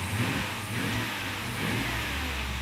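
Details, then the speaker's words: 1940 Chevrolet Coupe gasser revving after the torque cable was moved off the frame; even revving, light regular valve-train tick, no rattle against frame: normal revving. "Right now, it looks like that torque cable was hitting the frame cuz I moved it. Now we can't hear the problem. All I hear is valve train now."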